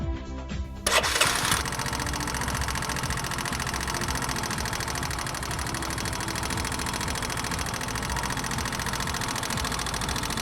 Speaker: A sharp metallic noise heard in the idling stage from the upper side of the engine, which increases with a rise in engine temperature.